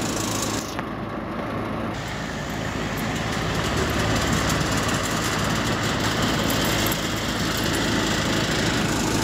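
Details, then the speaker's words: Goodman AC outdoor unit: steady condenser hum with a brief strained buzz as the compressor tries to start and drops out; compressor not starting, capacitor to be checked. "what's going on guys got an ac seems like the compressor ain't working got the little stub gauge on there you can hear the compressor trying to start here every so often"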